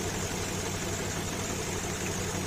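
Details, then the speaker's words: Warm Infiniti QX56 V8 after replacing the belt tensioner: smooth, even idle with only a faint rustling tick from the gas injectors; the earlier scary metallic knock is gone; normal idle. "Ну всё звуков нету а он такой металлический страшный звук был"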